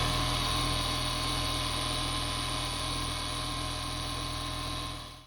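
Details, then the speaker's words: Audi RS2 petrol engine idling with steady high whine from failed alternator bearings; alternator still charging, since removed and being stripped for refurbishment. "It is charging. However, the bearings in it seem to have failed and are rather noisy. So, I'll just cut away to the audio of that so you can hear it whining away."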